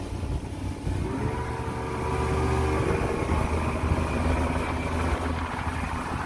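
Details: Mercury 150 Saltwater two-stroke outboard after trigger replacement (earlier ran rough 1000–4500 rpm despite new stator): note climbs smoothly as the boat pulls away on the water, no stumbling or misfire through the rev range.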